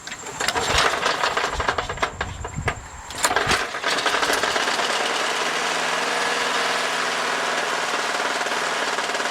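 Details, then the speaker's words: $30 used lawn mower with a little oil in it, sounding worse than when bought: ragged, stumbling firing on startup, then a thin uneven drone. "this thing sounds a little raggedy honestly it didn't sound reagany when i bought it"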